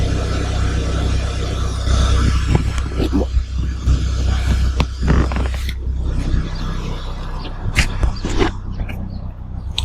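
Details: Kia Optima idling after fuel pump replacement while checking for fuel leaks; low steady engine hum with even rhythm under scraping and handling clatter, idle smooth and healthy.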